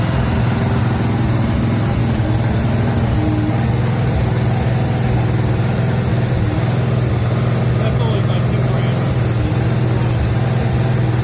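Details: 350 small-block V8 on an engine run stand with electric fuel pump, after break-in: deep steady rumble with an even beat, no knocks or misses; running healthy.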